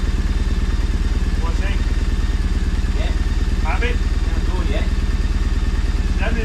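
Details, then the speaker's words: 2011 Triumph Bonneville SE twin after full service and exhaust hole repair: steady even exhaust beat at settled idle, no misses, ticks or chuff; runs smoothly. "not rolling bad. Yours sounds so much better. Big time."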